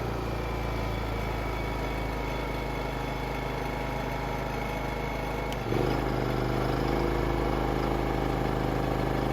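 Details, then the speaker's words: Honda EU2000i inverter generator after carburetor rebuild and fuel system cleaning, in eco mode: steady low hum stepping up smoothly under 1500 W load without surging; previously died in eco mode, now running healthy. "and 1500 watts no problem in echo mode everything's working perfectly now this fuel system is fully repaired"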